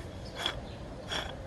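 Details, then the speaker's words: Lawn-Boy 20-inch mower blade spindle turned by hand gives two short gritty, rasping grinds from worn, badly failed bearings; its shaft is reused in another spindle housing with good bearings. "This one, the bearings,"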